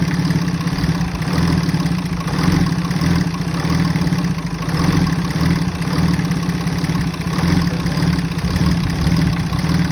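A low idle that swells and sags about every second and a half instead of holding even; the engine idles rough.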